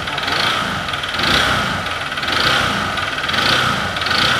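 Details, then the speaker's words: 2014 Honda Bros 150 single: rough idle with hard metallic tapping within roughly one-second surges; connecting rod knock, engine to be opened to replace connecting rod, bearing and crankshaft, later fixed by replacing the rod. "Barulhou aqui. Tem que abrir para trocar biela. É, rolamento e cambota."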